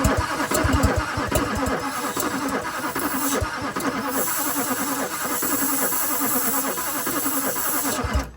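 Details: 2001 Chevrolet Duramax LB7 diesel pickup, cranked before ether test: steady starter cranking with rhythmic compression chugs and no firing; cranks but will not start, though it pulls air through the intake.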